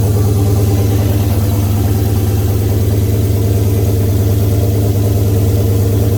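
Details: Oldsmobile 442 V8 first start after rebuild (new cam, pushrods, oil pump, valve springs, heads, gaskets following broken valve spring, bent valve, scarred piston); 92 psi oil pressure; steady lumpy idle about three beats a second, no ticks or knocks; normal idle.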